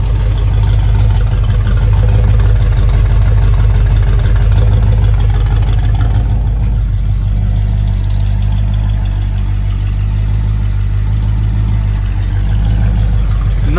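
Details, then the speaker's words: 1976 Ford F100 with freshly built 351 Cleveland V8, just installed and broken in after stand run: smooth, quiet even idle with mild lope from a non-aggressive cam and light rev blip; possible faint valve tap, valves to be adjusted. "Alrighty guys, the engine is broke in and she sounds great. Nice and quiet, runs smooth."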